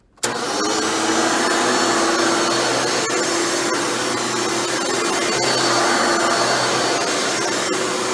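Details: Hoover Dimension Supreme upright vacuum (Elite-style motor) test run after motor rebuild with new bearings: starts at once and holds a steady, even motor whine with no grinding or rattle; healthy motor.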